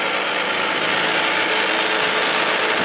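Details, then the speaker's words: Failing Taco boiler circulator pump, motor greased through an added port and cooled by a fan; steady dry, gritty rasp with faint irregular ticking over the motor hum, worn bearings expected to fail soon. "It sounds like we're still running. So Friday, it's not gonna be running for long."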